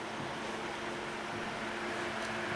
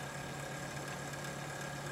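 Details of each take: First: Steady smooth airy hum with a faint even tone, no grinding or rattle: a newly installed rear case fan (three-speed control) in a 5-year-old Antec computer case, replacing a failing grinding fan, spinning cleanly. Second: Antec computer case, rear fan, likely 120 mm: steady fan hum with fine rhythmic rasp pulsing through it; failing case fan starting to grind, to be replaced.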